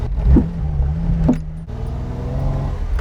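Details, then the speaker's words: Sharp irregular knocks over engine and road rumble while driving a Fiat Dino on a stretch where it repeats; suspension knock suspected from a collapsed bush metal-to-metal, not confirmed. "It should consistently do it here, and you'll hear it. Hear it knocking?"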